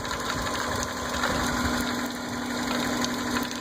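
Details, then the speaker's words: Idling petrol engine heard at the open dipstick tube: busy, irregular gurgling hiss like boiling water; engine also has a knock, later found to be a flex plate fault. "there's another weird noise coming out of the uh dipstick uh when I pulled it out to check today it sounds like a uh water boiling or something like that there's that noise"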